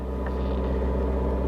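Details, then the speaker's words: 2021 Ford F150 XL 2.7 L at Copart, listed as not driving, first start: steady, even low rumble with no misses, knocks or ticks; runs great, smooth healthy idle. "I'll be damned. It actually runs great. It actually runs really well."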